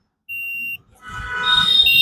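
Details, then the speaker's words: Stranger PBT-1500 amplifier with a shorting problem, power off, multimeter on continuity: a steady high beep across all the output transistors, pointing to a short; a nearby resistor is completely burnt black. "देखो, यह आवाज यहां मौजूद सभी ट्रांजिस्टरों से आ रही है।"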